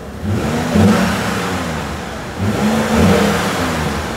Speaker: okay totally normal totally normal we had a lot of stuff disconnected for a long time